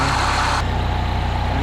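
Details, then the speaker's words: 2010 Mini Cooper at idle after replacing the noisy AC pulley and clutch: smooth, even idle with a soft steady hum and no whine, chirp or grinding from the belt pulleys; engine sounds healthy, whisper quiet after repair. "I went ahead and slapped a pulley and a clutch on there real quick now she's whisper quiet so now she's good to go"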